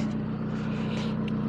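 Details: Kia Rondo after crank-no-start repair (catalytic converter apparently removed, sensor to reconnect): steady, even engine hum, low smooth drone, no misses, knocks or surges; runs cleanly.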